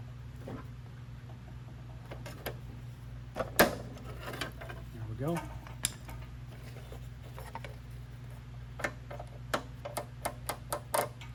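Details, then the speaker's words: Toro mower wheel after wheel cover replacement, gear refitted: sharp, evenly spaced little clicks as the wheel turns forward, crisp and regular with no grinding; drive pawl ratchet working properly. "but you can hear can hear the click from this little guy as it does what it's supposed to do moves forward"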